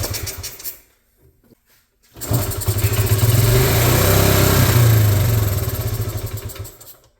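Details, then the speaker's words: 1986 Honda TRX70 ATV, sat unknown time, no pull start, rope-started on carb cleaner with choke and idle screw raised three turns, no fuel tank fitted: fires, chugs about five seconds, swells, then dies; stalls after starting. "Like it loses spark after a second, but it does. I don't know. I want to call this a win."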